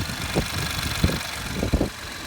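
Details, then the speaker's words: 2012 Ford F-150 XLT 3.5L twin-turbo EcoBoost, about 64,000 miles, cold idle after exhaust manifold gasket repair: smooth steady idle with light quick ticking that is just the injectors opening, normal; much cleaner than before. "that sounds a lot cleaner than what it did now really the only thing that I'm hearing are the the injector's opening up"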